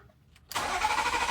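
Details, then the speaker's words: Hurricane-flood salvage BMW Z3 M Coupe with the S54 engine, on a jump box: strong, even starter cranking without firing. No rpm reading while cranking means no pulse from the crankshaft position sensor, whose connector is corroded. "spark or no fuel. Okay. Does the RPM moves when you crank? It does not. Okay. Okay. So what does that mean when the RPM's not moving while I crank? Looks like you have no pulse from the crankshaft sensor."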